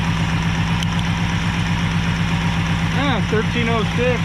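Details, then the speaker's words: Abandoned 1968 Ford XL, carburetor poor, barely enough fuel, idle mixture unadjusted, idle screw broken: steady idle with light regular tapping about four per second; source unclear, water pump suspected. "What is that sound? Maybe water pump. I hear a little tapping here."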